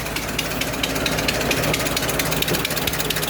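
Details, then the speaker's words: 100-year-old 1924 Dodge truck engine idling after restart, no smoke: sharp puffing tick on each firing pulse, steady and even; exhaust leak. "yeah definitely got exhaust leak"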